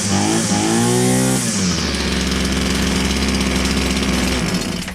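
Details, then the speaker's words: Old Husqvarna 22R strimmer from a scrap find, after a carburetor conversion, firing straight up: a high buzzing rev drops back to a steady, even two-stroke run with no stumbling. It is running cleanly. "It runs as sweet as a nut. It runs absolutely beautiful."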